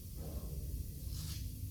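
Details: Newly assembled Bendpak car lift, unloaded: soft brief burst of air hissing over a low hum as the air locks release, all four dialed; it lowers very slowly with no weight on it. Normal air lock release.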